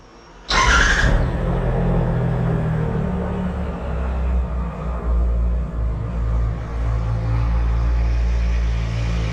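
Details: 2016 Triumph Tiger 1200 Explorer, 5,000 km, after clutch basket (campana) machining to remove play and spring replacement: catches quickly, smooth even low idle with no rattle or knock. Normal idle after repair.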